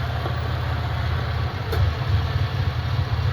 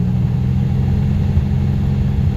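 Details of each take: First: Sick Centurion engine (owner suspects bad fuel) after injector cleaning, same fuel still in, fuel pressure just under 40 with good vacuum: low, lumpy, wandering idle sagging as if about to die; cleaning injectors did not help. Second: Centurion with intermittent stumbling, owner suspects bad fuel, running from a small container with pressure from an aging little compressor: engine suddenly clears up, deep steady rumble with no stumble or miss, running mostly perfectly.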